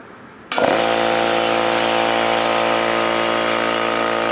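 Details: New oil-lubricated Campbell-Hausfeld air compressor, regulator fully down and drain valve closed, filling tank under load: clean start, then a steady even drone with no metallic clatter; pumping healthily.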